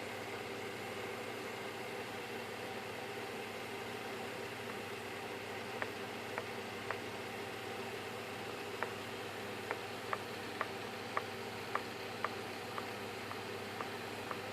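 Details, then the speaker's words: FMS Corsair v3 1430mm RC plane with the new gold PAEP 540 motor, 10 flights and no crashes: a sharp click once per turn at the same rotor position over a faint hum. It is not loose mounting, and the prop causes a bad wobble. "that noise right there that click it's only on this angle in this part of the motor and it's not something that's Loose as far as mounting wise"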